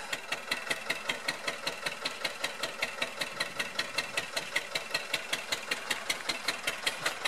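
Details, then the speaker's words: Rebuilt 1999 Metro Listeroid 6/1 single-cylinder diesel genset under test, heard outdoors at the exhaust pipe outlet: slow, steady, evenly spaced chuff with no misses or clatter; healthy. "Doesn't sound too bad from out here,"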